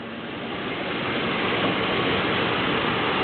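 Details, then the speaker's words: 1973 Chrysler New Yorker Brougham V8 after cold start: steady even hum with no knocks or misses; idles so smoothly the air filter barely moves. "engine runs so smoothly that the air filter is barely moving"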